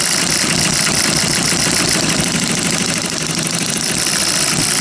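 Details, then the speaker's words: Miniature hit-and-miss engine after piston ring rebuild, mixture thought too rich, light load applied as if running a saw; quick fairly even popping holds speed under load; normal running under load. "let's put a little bit of load to her and see how it handles that not too bad actually uh simulating if you're running something off like a saw or something right"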